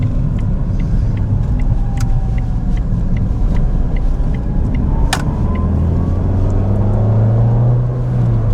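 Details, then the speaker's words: Ford Fiesta, pre-roadworthy test drive: steady low road rumble with light ticks, no bumps or rattles; rear suspension feels a bit floppy to the driver, but everything seems fine. Normal driving. "There we are, no bumps, no rattles, everything seems to be fine,"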